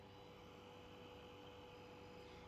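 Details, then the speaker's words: Electronic no-frost fridge with fault of not cooling below, compressor check: low, steady hum with faint constant tones, no knocking or rattle; compressor running normally. "El motocompresor está funcionando. Por ende, ¿cómo funciona? Vamos a tildar justamente el motocompresor. ¿Funciona? Sí."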